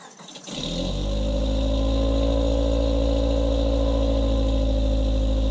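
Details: 2000 Honda Civic with eBay header, test pipe instead of cat, OE piping, resonator and OE-style muffler, before the added resonator: engine catches, then holds a steady, deep droning exhaust note with a raspy edge, heard above 2,800 rpm since the cat was removed.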